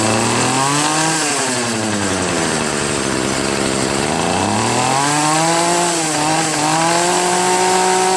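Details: Troy-Bilt TB70SS 33cc two-stroke trimmer that sat three years, on a cold 37°F day, after high/low carburetor mixture screw adjustment cured bogging at high throttle: revs down and back up smoothly with clean throttle response, no sputter.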